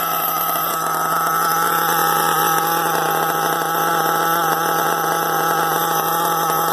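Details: RB-modified Novarossi Rex nitro engine during break-in after four heat cycles: high, steady buzzing idle with an even pitch and no surging or misfires; normal idle.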